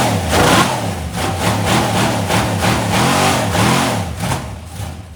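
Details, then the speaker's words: Used GM LS 4.8 LR4 V8 on a run stand, idling and blipping: fast hard knock under the exhaust following engine speed and getting worse; owner suspects a lifter coming apart or a piston letting go. "yeah so there's definitely something moving around in there probably a lifter coming apart it sounds pretty fast to be lifter it could be the uh a piston letting go like I always find"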